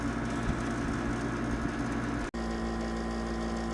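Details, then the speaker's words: 1972 GE Slumberline 6000 BTU window air conditioner with GE rotary compressor and GE fan motor, newly installed, running on low fan and getting cold; steady even low hum, smooth fan whoosh, no knocks or rattles; normal running. "That's how it sounds running on low speed."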